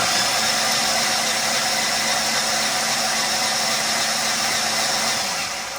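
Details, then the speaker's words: 2008 Ford Explorer engine cranked after failing on uphill climb when transmission slammed into gear: starter spins fast and even with no compression pulses; owner suspects engine-transmission binding damage, not confirmed. "so the crank is turning but we have zero compression"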